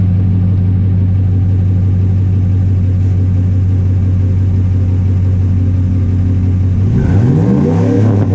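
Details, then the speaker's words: 2005 Ford F-150 with newly installed Spectre cold air intake, microphone down by the exhaust: deep steady exhaust drone rising and falling smoothly with each rev, slight crackle, no knocks or rattles; sounds deeper after install, healthy revving. "So yeah, sounds a little deeper, you know, it's got some crackers to it."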